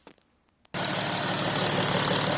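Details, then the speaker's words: Audi A5 CCWA V6 diesel after replacing all pulleys, tensioner and drive belt; engine starts and settles into a smooth, even idle with no squeal or chatter from the belt drive; sounds good. "now the car started. Alright, that sounds good."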